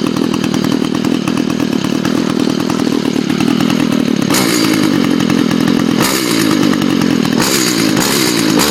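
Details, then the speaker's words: Curved-shaft trimmer with no string fitted and the spark arrestor removed, about 60°F, already started earlier that day. Loud full-throttle two-stroke scream stuttering irregularly on the rev limiter, no load. "It's hitting that rev limiter because it doesn't have any string on it, but you can see in there the spark arrestor's out of there, and it makes it sound 10 times better, but it's extremely loud."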